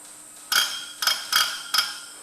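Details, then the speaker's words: Lanz Bulldog injector fitted with a new nozzle on a pop tester at about 1750-1800 PSI: four crisp, high chirps about half a second apart; healthy chirp, unlike the leaky old nozzle, which could not be lapped. "and listen for that chirp is what you want now if you go back to the other video or the earlier part of the video there was no way that was doing that"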